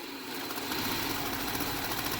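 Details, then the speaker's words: 2007 Subaru Outback, 2.5L non-turbo flat-4, automatic, with recently replaced head gaskets; coolant level high. A steady warm idle with a faint, regular light knock; the knock's cause is not yet pinned down. "well doesn't like that knock noise at all and with as high up as that coolant is we put the cap back"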